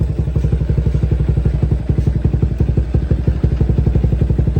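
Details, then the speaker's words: Motorcycle after repair, idling: even single-cylinder beat, about four firing pulses a second, no clatter; it had come in with a rattling "kerang-kerang" noise, now runs smooth with no problem. "Motor masih hidup, Okay, bunyi dia pun smooth ya. Tak ada masalah."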